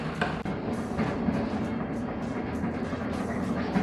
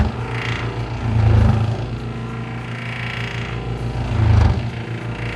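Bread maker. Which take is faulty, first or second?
second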